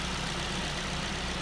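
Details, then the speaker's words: Engine after a new air-conditioning clutch part was fitted: smooth, even idle with a steady low hum. The earlier shearing, metal-rubbing noise is gone. "when you hear the car now it doesn't sound like an articulated lorry with its engine pulling itself apart none of that shearing noise the metal rubbing"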